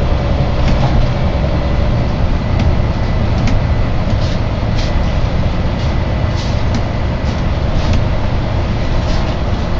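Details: Volvo B9TL / Wright Eclipse Gemini 2 bus, First West Yorkshire 36257 (BG12 YJO), recorded aboard in March 2013: steady low hum under the engine and road rumble, a persistent drone of unidentified source.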